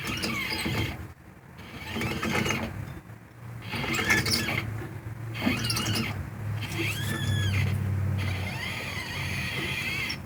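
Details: 1985 Jeep AMC 20 rear axle, with shafts, bearings and seals replaced about 2 years earlier: harsh intermittent grinding and wavering squeals over a low rumble; both bearings found trashed.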